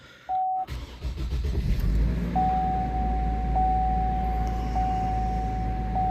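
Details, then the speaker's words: Envoy 4.2 first start after evap purge and O2 heater circuit repair, intake previously cleaned for a low idle code: quick crank, then steady raised cold idle without stumble or miss, normal fast idle. "yeah sounds good look at the idle it's up or pretty high like it should be when you first started"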